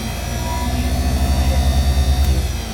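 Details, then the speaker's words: Ford 100 garden tractor starter-generator, reassembled after cleaning and shining the commutator, free-running on a battery charger: steady low hum with even, quick pulsing, a lot better than before; normal. "Not bad, a lot better than before."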